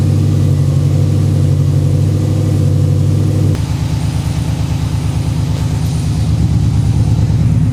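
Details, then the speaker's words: Freshly rebuilt engine, about 50 miles, after oil change with 20W-50 VR1, new filter and primed oiling: loud even low burble with brief blip, good oil pressure, no grinding or knocking; healthy idle. "Oil pressure's good. Nothing sounds like it's grinding, binding, bending, anything."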